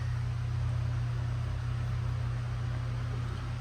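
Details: 1989 IMSA GTO Corvette, ignition on before first start after 3 years, rear in the air: loud steady low drone with rough buzzing edge, no pitch change; transmission oil pump noise, cause suspected, not confirmed.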